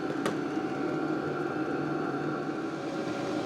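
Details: LDHTHOPI diesel heater bench-tested in a shop, not yet installed, at max temperature: steady, even blower rush with a faint constant hum, no knocks or rattles; outlet about 211–212°F, too hot to hold. Normal running at full output.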